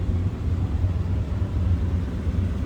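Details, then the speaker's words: 1987 Oldsmobile Cutlass Supreme, 5.0 L 307 V8, automatic, about 67,405 believed-original miles, heard from inside the cabin right after it fires up; deep smooth even rumble with no knocks or misses, healthy idle. "hear this run oh Rumble coming in at 307."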